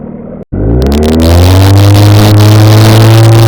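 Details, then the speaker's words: Outboard boat motor, restarted after sitting 2 minutes: it catches within half a revolution and settles into a strong, steady, even drone with no misfire or knock. Normal running right after start; owner says it starts this way every time. "This has been a very, very, very reliable motor. And this is the way it starts every single time."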